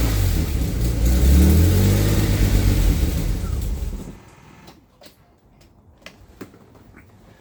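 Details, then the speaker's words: AJ30 Jaguar / Ford Duratec V6 in a Gilburn Invader on ME360 ECU, started after setting both cams to advance the same: runs and revs unevenly about four seconds then dies abruptly; persistent stalling, owner thinks worse when cold. "Now, I do still have a persistent problem of stalling. It's worse when it's cold, but um this is a detail, but um is it worse?"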